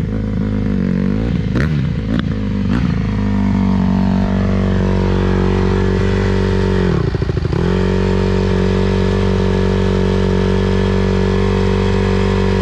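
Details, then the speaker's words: 2020 Honda CRF150R big-wheel single-cylinder dirt bike, sat unused and wouldn't start, first run after pop start on choke; idles after sharp blips, then sags and stutters before recovering; they suspect carb clean needed. "Carb. Carb clean, yeah. Well, at least it ran. Yeah, it's too bad. Why is it making that sound?"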